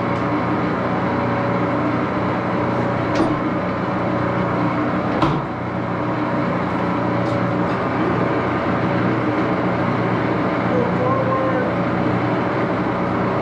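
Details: 14 x 30" Axelson heavy-duty gear head lathe running through speeds with AW68 hydraulic oil in the headstock: loud steady gear whine, deep even hum and sharp clicks as gears shift; noisy but normal.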